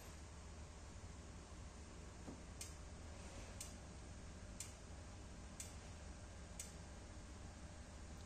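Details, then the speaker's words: Yamaha Aerox injector actuated from an ECU scan tool after repairing a broken injector wire that caused no-start: five crisp evenly spaced ticks about one per second over a quiet hum; normal injector clicking. "Kita coba lagi ya, bunyinya tik tik tik. Nah, seperti itu harusnya."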